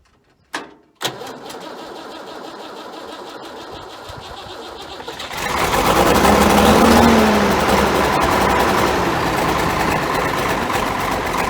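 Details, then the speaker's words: Ford 9600 diesel tractor at a 34°F cold start after a filter change and injector pump bleed, helped with a little ether and blowing some black smoke. A couple of sharp clicks, then it catches into a loud, steady, even clatter with no misses. Normal running. "Man, I do like that 9600, just listen to that sound. You can hear Dad coming a mile away."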